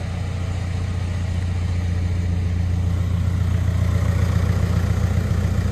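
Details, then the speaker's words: VW Mark 6 diesel (TDI) with stiff dogbone mount insert installed about a week earlier, morning start: deep steady idle with heavy low drone and constant rattle, engine vibration passing into the body; owner calls it bad. "I'm going to start the Mark 6 up for you guys so you could see what it actually feels like and sounds like it's it's bad"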